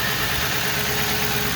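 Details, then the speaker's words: 2005 Ford Crown Victoria 4.6L with failed AC compressor bypassed using a shorter belt: steady, even idle with no squeal, rattle or knock from the belt drive; earlier noise gone, normal idle. "after that i get rid of that noise because it was making a lot of noise it was annoying now it's okay i guess ready to go"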